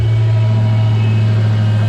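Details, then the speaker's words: 2019 Dodge Charger Hellcat supercharged V8 idling after E85 flex fuel kit install, being checked for fuel leaks: deep, steady, even rumble with no misses, knocks or ticks; started nicely, healthy idle, no leaks. "All right. Seems like it started up nice."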